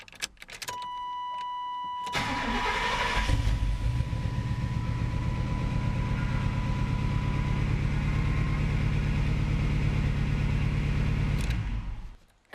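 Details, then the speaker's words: 1991 Chevy 454 SS truck, first start of its newly installed replacement engine: starter whirs, engine catches into an even, deep V8 idle with no ticks or knocks, then shuts off cleanly; sounds really good, normal idle. "well that sounds really good that's not so bad for first step"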